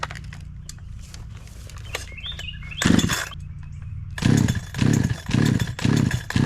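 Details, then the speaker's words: NEO-TEC NH872 71cc chainsaw, Husqvarna 372 XP clone, 28-inch bar, after carburetor tuning: revs up cleanly in repeated strong bursts about two a second with no bogging; running well. "seems like it's doing better seems like it's running pretty good now"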